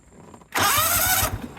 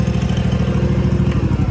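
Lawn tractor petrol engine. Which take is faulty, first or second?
second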